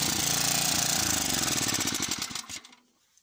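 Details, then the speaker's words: Cement mixer small petrol engine during restoration, running with no load because the barrel isn't fitted and turning; it races and surges, revs wandering up and down before cutting out, as the governor hunts for speed. "so you can hear that guys that she's running she's in here there the the governor doesn't know where to stay that is because she isn't under load"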